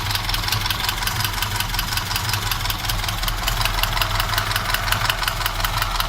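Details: Moskvich engine at idle: a sharp, regular knock of about three per second inside the engine. Cause not yet pinned down.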